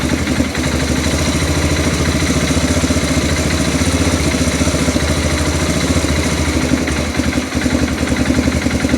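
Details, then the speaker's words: Arctic Cat 400 4x4 ATV with new aftermarket carburetor fitted after it wouldn't start or run well, just started and not yet warm: steady, even single-cylinder idle thumping around 220 beats a minute after idle screw turned down from slightly high; normal idle. "I think that's about where it needs to be. I think as it warms up, it'll get better."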